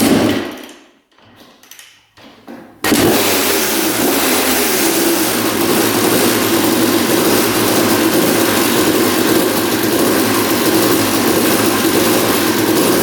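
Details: 1989 Honda CR250 two-stroke that had been sitting, first start after carb cleaning, with spark, compression, coolant and oil confirmed: after a few kicks it fires and runs with a fast, busy metallic rattle from low down; cause unknown, engine seen moving in frame, mounts suspected.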